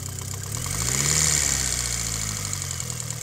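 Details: Mitsubishi Lancer Evo 8 at idle: light, fast ticking about four per second over an uneven idle; owner suspects lifter tick, unconfirmed.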